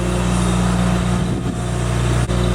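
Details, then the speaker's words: 1972 Dodge Travco motorhome propane generator idling since early morning: a steady, even hum with no surging while a water hose keeps its regulator from freezing. Moisture in the tank froze the regulator and stalled it. Normal running. "This generator has been running since about 7:30 or 8 o'clock this morning, and as long as we've got this water hose running on that regulator, she just runs and purrs like a kitten."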